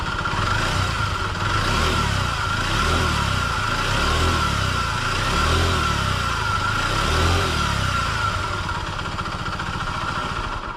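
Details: Honda Dio AF62 50cc scooter due for overhaul, deliberately run with no oil added: rough uneven running with a ragged rattling beat under the revs; worn engine from oil starvation.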